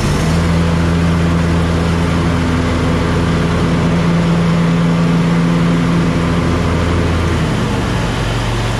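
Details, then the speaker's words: John Deere Z930M zero-turn mower after the fix for severe deck vibration and shaking (cleaned off, greased, a stick removed from one): deck engaged, steady even drone, no vibration or shaking, fixed. "Okay, no more vibration, no more shaking. This is fixed."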